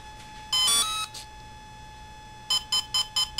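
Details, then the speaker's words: Volcano 30A ESC, throttle stick mid-position at power-up: brief rising chime then fast sharp beeps about five a second, warning that throttle isn't at minimum; motor won't engage until throttle is lowered. "you hear that fast beat okay that fast beat's not gonna go away until you lower that throttle"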